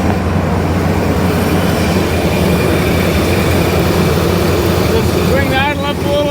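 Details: Truck V8 with worn rings, running dead rich and burning oil, revved slightly after cold start: deep, even rumble with no stumble or miss, firing on all eight cylinders and running well.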